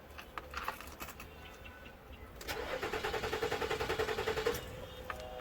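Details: Nissan Murano with battery at 12.4 V and an intake air temperature sensor code: the starter turns the engine with even chugs about 3.5 per second, engine speed fluctuating, but it never starts.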